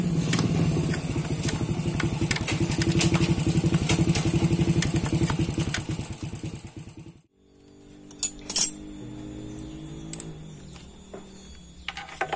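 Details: Yamaha Mio scooter brought in with the complaint of a noise from the CVT: idling with a rapid, fairly even metallic clatter from the belt-drive side, about four per second, then shut off; likely a loose CVT part.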